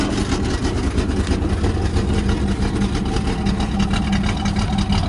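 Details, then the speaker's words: Pontiac Firebird at a rough-sounding idle with a light, fairly regular rattle about three times a second, from a loose exhaust pipe-to-manifold connection letting the donut gasket rattle, which still needs fixing. "That's what all this rattling is about over here. It's just like the connection from the exhaust pipe to the manifold is just loose, and that donut ring just rattles around in there."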